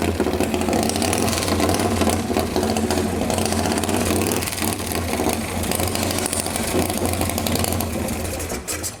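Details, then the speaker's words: Display motorcycle with fluid sprayed in: rough, uneven firing catches a few seconds then dies; brief start then stall, owner suspects it just needs cleaning out, not confirmed. "did it shut off it kind of sh I could have done a little better job just needs uh just needs cleaned out a little just needs ring rung out"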